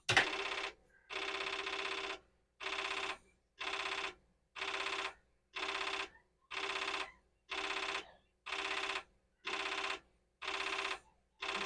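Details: Commodore 4040 dual disk drive reading a disk; buzzy mechanical bursts about once a second, banging differently than before; abnormal head seek noise.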